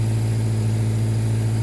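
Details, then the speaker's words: 1954 Reliant Regal Mk2, just brought back to running, started with choke: smooth, even low-pitched idle with no misses or knocks; sounds sweet, healthy. "And doesn't she sound sweet?"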